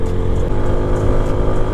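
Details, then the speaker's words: TVS Apache motorcycle at idle: deep throbbing idle with faint, quick metallic taps that come and go, like two metal parts vibrating together; exhaust rattle suspected, owner unsure whether from silencer or engine head. "तो मेरा exhaust ना अजीब सी आवाज कर रहा है जैसे दो मेटल ना आपस में वाइब्रेट हो रहे होंगे टकरा रहे होंगे तो ऐसी कुछ आवाज आ रही है आप खुद नोटिस करो"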